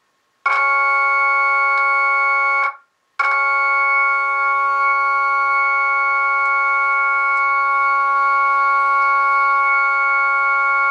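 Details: Jensen V21 Leslie upper horn driver, after diaphragm reset, through a Leslie dividing network and Leslie 122 amplifier, played from a 1963 Hammond B3 organ: clear sustained tones, steady with no rattle or buzz; driver sounds clean.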